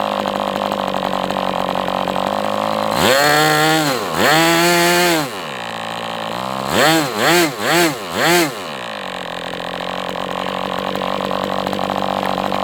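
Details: MDS 68 FS Pro four-stroke glow engine on break-in stand, after carb retuning (idle screw had been tampered with), idle bar plug removed; revs up twice then four quick throttle blips, dropping back cleanly; crisp response, normal running.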